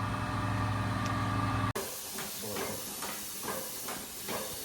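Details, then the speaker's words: John Deere 6R250 tractor with a blown-out rear tyre after driving about a mile on partial air: after engine drone stops, a steady airy hiss of escaping air remains. "You can hear it hissing at us, but we got enough air in it to get it the mile it needed to go."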